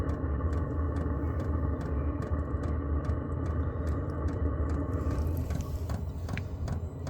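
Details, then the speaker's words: Vevor 8KW diesel heater start-up, set to maximum; even fuel-pump ticks about three per second over rising fan and burner rumble, instant ignition into a clean run. "Oh, there goes the fuel pump. Instant ignition."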